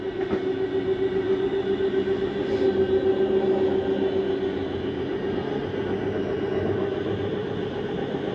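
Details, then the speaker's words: Living room slide-out of a 2023 Jayco Jay Flight 324BDS travel trailer retracting with doors and drawers closed: steady mid-pitched motor hum and even rumble at constant speed, drawing in smoothly with nothing binding, normal. "Then we're gonna bring in our living room slide."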